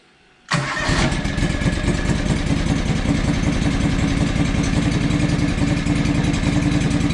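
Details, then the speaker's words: John Deere 445 riding mower after a replacement coil was fitted and both coils tested good: starts on the first crank, then runs with an uneven, lumpy beat and stumbles; still runs rough, likely a misfire, so another problem remains. "and it still runs like crap so what does that tell us tells us we got some other problems right"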